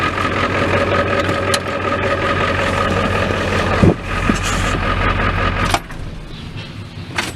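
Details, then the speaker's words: Ford F-350 XL 7.3L Powerstroke turbo diesel, hard starting when cold, restarted once warm: fires instantly and settles into a steady, even clatter with a constant whine; normal warm start. "starting it again see she starts Paul instantly once you get her startup warm she'll start right away"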